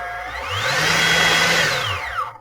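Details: EGO 56V blower BLDC motor on an aftermarket BLDC driver, bench direction test at 24 V with potentiometer speed control: clean whine rises smoothly as the motor spins up, holds steady, then falls away evenly; motor runs normally.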